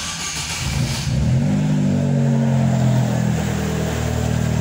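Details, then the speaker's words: Chevrolet Celta, engine somewhat cold, after water pump replacement: settles then revs up smoothly and holds, with no metallic rattle or whine left. Noise gone; normal cold start and revving. "aí galera acabou o barulho tá zero bala agora o motor celtinha relóginho"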